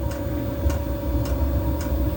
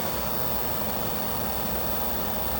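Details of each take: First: Diesel heater after E-06 fan-sensing error, control board sensor moved slightly closer to the fan, no part replaced: steady low combustion rumble with a crisp tick about once a second from the dosing pump; fired up and running normally, possible intermittent fault. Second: Diesel heater with error E-06 (fan not turning or no fan signal), left running after a shutdown attempt: even, steady fan rush with no combustion roar or pump ticking, because the controller can't detect the fan speed; it later fires up on its own.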